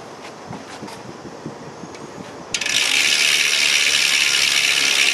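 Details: 2010 SRAM S60 wheel with SRAM Red OG-1090 cassette coasting: a few faint ticks, then a loud, fast, sharp buzzing ratchet; a very noisy but healthy freehub.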